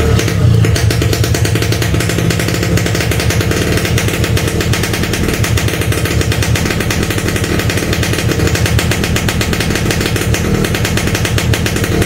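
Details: Yamaha RX-King two-stroke, cold engine started on choke, fires a rapid, busy crackle steadily with a low throb underneath; hard cold starting is normal for this bike and the choke must be pulled.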